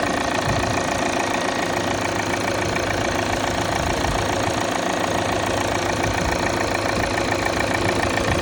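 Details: 2017 Volvo XC90 D5 diesel at cold start idle: a rough, strange buzzing rattle over a quick steady clatter. The cause is unknown.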